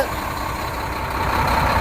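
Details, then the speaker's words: New semi truck diesel idling, listened to under the bunk: steady idle with a firm hum that builds slightly; reportedly the variable geometry turbo closing to create back pressure and warm the engine faster, which is normal. "supposedly that is the variable geometry turbo shutting down creating back pressure to heat the engine up sooner quicker that's what it was explained to me as"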